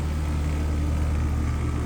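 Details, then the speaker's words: Home AC condenser restarted after run capacitor work (30/5 replacement planned): steady even low hum with constant fan whoosh, no buzzing or clicking, already blowing hot air. Normal running after repair. "Sounds good. It's already blowing some hot air. So we'll call that fixed for now."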